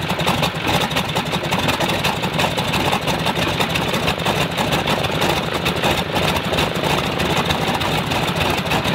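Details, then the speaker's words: Stinson L-1 radial, duplex magneto with distributor outputs swapped to isolate fault, runs at low speed with a coarse, lumpy beat; fault stays on left side, so the left distributor is blamed; dead left magneto side. "no it's still the left man it's still the left mag so if it's still the left mag the left mag is feeding it or the right side so it's the left distributor"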